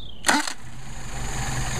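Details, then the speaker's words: Mercedes 190SL with freshly rebuilt, tested and adjusted Solex carburetors, hot restart after warm-up: short starter whir, catches straight away and settles into a low, steady idle; clean normal hot start. "uh it's a beautiful thing carburetors are a beautiful thing when they work and when they don't they will just drive you crazy"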